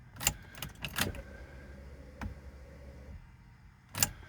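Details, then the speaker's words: 2000 Chevrolet Corvette C5, long-parked barn find that starts then dies: after key click, faint steady electric fuel pump hum for about two seconds then cuts off; priming to build fuel pressure. "i can hear the fuel pump coming on it comes on for a second hear it again maybe you can hear that fuel pump"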